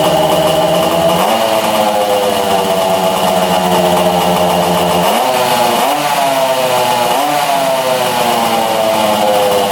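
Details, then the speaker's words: 1966 Yamaha YL1 two-stroke, still sparking, new plug made no difference, exhaust pipe suspected plugged: idles well, but runs raggedly with surging, dipping revs and stops sparking at high rpm. "At high RPM it stops sparking. So you can hear it coming out."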